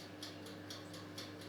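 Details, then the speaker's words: Swan 23 litre electric convection oven (SF37010CN), mechanical timer turned on: crisp, even ticks about four per second in a quiet room; normal timer ticking. "Finally then, on the bottom you have your timer, and I suppose it works similar to any microwave or cooker timer."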